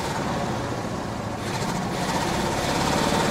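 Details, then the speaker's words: 1968 Chevy Caprice V8 that sat 18 years, first revival run on a small amount of added gas: uneven, stumbling idle with the odd pop, still missing but less, as it goes lean while running out of fuel. "still missing though oh not as much that's lean when uh start to run out of gas you go a little bit lean and you pop there a little bit"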